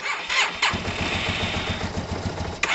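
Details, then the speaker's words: Low-mileage Yamaha TMAX, cold, with freshly cleaned and kit-rebuilt carbs: the starter whirrs and the engine catches into a soft, uneven putter that never revs; owner suspects it needs more air since the airbox was fitted, or needs to loosen up. "Why is it not revving at all? It feels like since putting the wheel box on, it's not revving. Almost like it needs more air."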